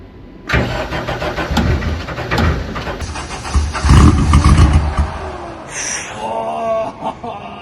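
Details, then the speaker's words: Clemson Deep Orange 9 car, freshly rebuilt engine first start attempt: starter churns, engine catches briefly on sprayed starter fluid with rough roar, then dies; won't sustain running on its own. "let me SP more starter flu I think that's what it's really running on"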